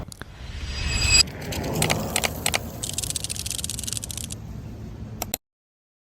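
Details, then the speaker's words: Polytron Fox 350 electric motorcycle over rough roads: quick, irregular plastic rattling and clicking from the front body cover near the visor, worked loose by the visor bracket and phone holder, with its center clip missing. "Bete gak sih kalau motor lu bodinya bunyi kayak gini setiap lewat jalan rusak? Mana ini motor listrik lagi, yang harusnya minim suara, malah berasa bawa gerobak."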